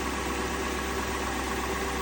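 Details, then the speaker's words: 2002 Lexus LS430 idling after an alternator replacement: a smooth, steady low hum with no whine under the hood. The new alternator cured the engine-bay whine but not the whine through the stereo. "So new alternator, got rid of the Whine out here, but did not get rid of the Whine in the stereo."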